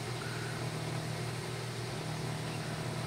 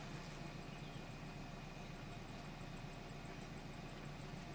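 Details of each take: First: Nissan Grand Livina that misfired with the MIL on, after an improvised fix for an ignition coil leaking spark to the engine block and the codes cleared: steady, even exhaust burble at idle with no stumble, now idling smoothly. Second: Nissan Grand Livina with MIL on and high fuel use, heard at the exhaust: low idle rumble with slightly uneven loping pulse; misfire, rough idle, suspected coil leaking spark to the engine block.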